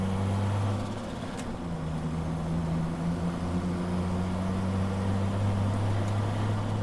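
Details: Drift car engine: low, uneven drone at low revs with a loosely irregular beat, as if missing on a cylinder; the engine is misfiring.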